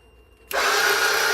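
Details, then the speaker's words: 2013 CF Moto Z6 UTV, after battery connections fixed: starter gives a sudden high-pitched whir with no cranking rhythm, spinning freely without engaging; cover to come off to inspect. "Nope. I don't know. Sounds like something's it's spinning, but I don't. Not good."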